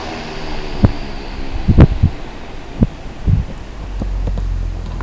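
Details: 1907 Westinghouse fan 60677, restored with resealed windings, switched off: low hum winding down with a few soft, spaced clicks and thumps as the centrifugal starting switch drops back in, working normally.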